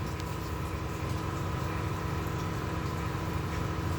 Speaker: Bomba d'água, ó. Olha o barulho, ó. Aí você fica procurando e não acha. Pode ser a bendita bomba d'água.